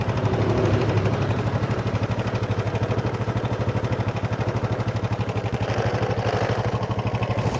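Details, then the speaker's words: Honda Supra motorcycle, rough noise persisting despite cam chain and bushing replacement: steady harsh rattle pulsing about three times a second; chain found too loose and a bolt missing, source not pinned down. "Ada suara aneh. Seolah ada sesuatu yang terlepas."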